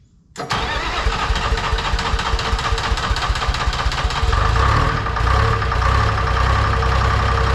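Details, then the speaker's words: Lull telehandler Detroit Diesel 3-53 two-stroke, cold start at about 60°F with ether despite new starter: cranks several seconds, catches, rumbles roughly with a big smoke cloud; hard cold start, owner suspects worn compression rings from years of ether. "Well, I would have liked it to have started better than that. Look at that friggin' cloud. Thinking what that means is, I think she could use some compression rings, fellas."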